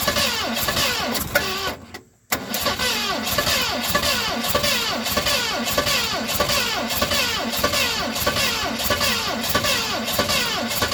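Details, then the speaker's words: 1970 Mustang Mach 1 cranks long and unevenly with a short pause, never firing, as fuel runs out. Owner suspects ignition timing is off by a tooth, and distributor adjustment has not helped; cause unconfirmed. "Well, she just doesn't want to fire, guys. I believe our timing is off. I think we're off a tooth in the timing."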